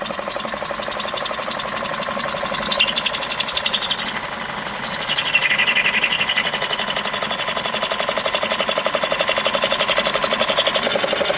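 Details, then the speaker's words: High-mileage ex-police BMW G31 5 Series Touring at first start, near operating temperature; fast even chattering tick nearly four a second over idle, coming and going; owner suspects pulley bearings, unconfirmed. "There are some really weird sounds coming out from this engine, man."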